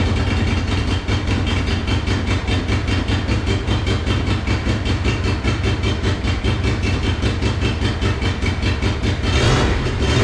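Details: Monster golf cart build, first run after new fuel pump fitted: low uneven chugging at fast idle, sputtering as if only one cylinder firing; rough running, owner tried adjusting the choke.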